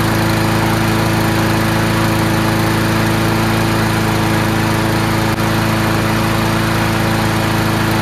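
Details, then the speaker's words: Free garbage-pick Troy-Bilt TB240 Honda-powered self-propelled mower after carburetor clean: strong constant hum at fixed speed, no surging, hunting or misses; runs really well now, normal running. "so there you go it runs really well now"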